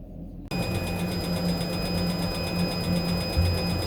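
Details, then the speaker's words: Diesel-fired boat heating unit in open engine room, starting up: steady low hum with faint fast pulsing and a couple of high tones while priming to fire; normal start-up, noisy at first then quieter. "these are quite noisy um once it gets going it quite down a bit but obviously i've got the engine room open it's echoing around here and it's getting itself primed up and ready to fire up"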